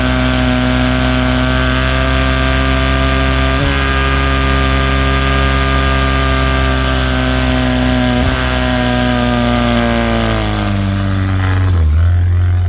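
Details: 1979 Evinrude 35 hp two-stroke outboard holding steady speed: buzzing with brief stumbles every few seconds, then revs sag; possible misfire or clutch dog slip.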